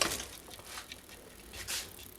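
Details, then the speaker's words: Trek 6500 mountain bike, rear wheel spinning freely just after thin cleaner-lube was applied to a gummed-up freehub; faint, light normal ratchet ticking is coming back. "okay you can already hear it coming back to life"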